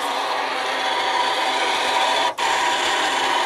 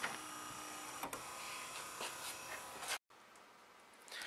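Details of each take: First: 2008 Toyota FJ Cruiser old rear wiper motor, bench-tested removed from the door: steady harsh rasping grind runs nonstop with a brief dropout, even with the shaft not touching metal; internally worn motor, replaced with a genuine Toyota part. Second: 2008 Toyota FJ Cruiser rear wiper motor, newly fitted genuine Toyota replacement for an old motor that made a terrible noise: quiet, even electric whir that sweeps and stops cleanly with no grinding, clicking or straining; normal operation.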